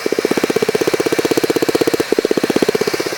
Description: Neste vídeo faço a demostração de onde é a causa de um barulho que advém do motor do Fiesta 2009, que de dentro do veículo parece ser no painel, algo solto batendo. Mas na verdade trata-se da valvula